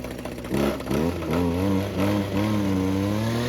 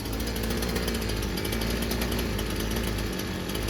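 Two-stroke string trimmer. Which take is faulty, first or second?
first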